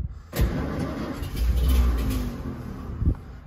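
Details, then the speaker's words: Royal tour limousine sitting unused since 1990, no gas in tank, carb primed with carb cleaner and a little gas: low rumbling crank about three seconds with a few uneven firing pulses that almost catch but don't settle. "she wants to go she wants to go aha well it doesn't sound super great but it lives"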